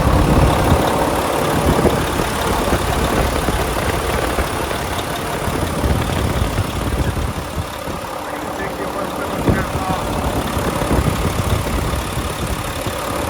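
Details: 2014 Volvo VNL64T300 day cab, D13 diesel, 13-speed manual, running with a check engine light present, idling at 700 rpm: steady even idle, no knocks or misses; sounds good and healthy.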